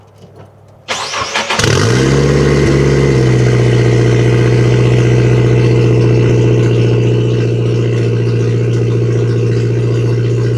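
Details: Nissan S13 with SR20 engine, misfiring and breaking up: cranks, catches and runs rough and uneven, stumbling instead of idling smoothly, after fresh plugs; strong fuel smell, owner suspects failing coil packs.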